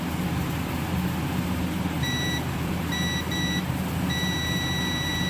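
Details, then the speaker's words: Samsung Guru FM Plus (SM-B110E) keypad phone that won't turn on: multimeter in continuity mode beeps on both positive and negative battery connector terminals, showing the board is in full short. "பாசிட்டிவ்லையும் beep sound வருது, நெகட்டிவ்லையும் beep sound வருது. அப்போ எனக்கு mobile phone வந்து full ஷாட்டில் இருக்குது."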